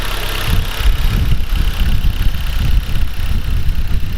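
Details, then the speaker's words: 2009 Dodge Caliber SRT-4, after repair of a bottom-end noise traced to the timing chain assembly and oil pump: smooth, even low idle with no ticking or knocking, nice and quiet. Normal idle. "so far everything sounds good no there's nice and quiet"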